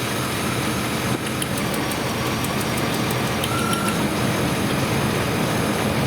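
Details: 1999 Chevrolet S10 4.3L V6 distributor engine after the misfire was fixed: steady, even idle with no stumble or skipped beat; all six cylinders now firing.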